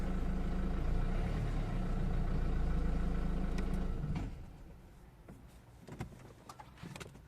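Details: 2003 Renault Scenic II 1.5 dCi (60 kW), rough-running with vibration when cold: warm and after driving, steady diesel clatter, then a clean shutdown with only faint ticks and no knock, checked because something looked loose.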